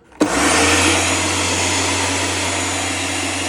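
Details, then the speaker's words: Karcher pressure washer after leak repair with replaced component, first run: sharp start then steady, even high-pitched motor and pump roar with no surging or pulsing; no leak, full power, normal running. "now it's got full power it sort of hovers around like it's supposed to so that's a win and sorted"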